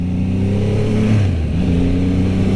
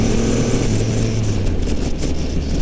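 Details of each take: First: 2022 Triumph Rocket 3 R, 2500 cc triple with 165 hp, on a test ride: deep, smooth burble that dips on deceleration then pulls back evenly, with no knocks. A healthy engine that is not a high-RPM motor. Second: 2022 Triumph Rocket 3 R, 2500 cc three-cylinder, 165 hp, on a test ride in rider mode: deep three-cylinder drone with a few faint sharp cracks as the throttle closes; exhaust popping on deceleration.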